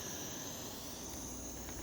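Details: MSR Whisperlite International stove relit while still hot and regaining its ideal temperature: a steady, even hissing roar with no sputter or surging, burning cleanly with a good flame.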